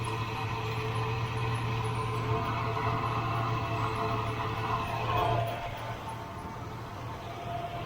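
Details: Nissan GQ Patrol with a TB42 engine and Holley 350 carburettor, after the mixture was leaned to 1.5 turns: the idle is set too high with a steady low drone, then settles lower. It is to be dropped back to about 800–820 rpm.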